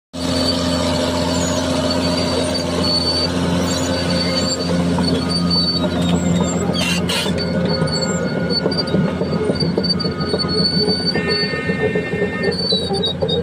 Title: Cat Dozer Bad noise,,time for undercarriage JOB. idler and roller damages..